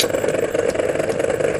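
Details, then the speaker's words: MORI MA-100 antenna rotator running on the bench after assembly: a steady motor drone with an uneven, pulsing rhythm; a jerky spot in the rotation. "actually it's quite fast in a sense but a really weird sound that comes from it as you can hear as it rotates around and so we've got around here a jerky"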